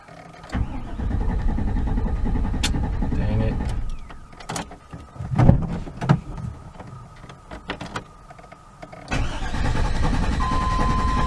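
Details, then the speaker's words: 1998 GMC truck, fuel pump fuse back in: starter cranks steadily for seconds with no firing; owner suspects crank sensor, cam sensor or coil. "Kind of starting to wonder if it's that crank position sensor. Very well could be the cam position sensor again. It could be the coil."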